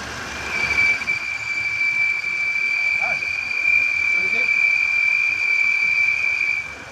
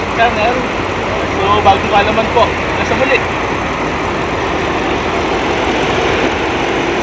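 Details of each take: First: 2015 Audi A8 L at idle: steady high-pitched whistle at one pitch for about six seconds over a hiss; leaking PCV oil separator sucking air. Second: 2015 Audi A8 L, whistling PCV oil separator issue: low, even idle hum with a few brief voices at first, no whistle or hiss, steady and smooth throughout; normal idle.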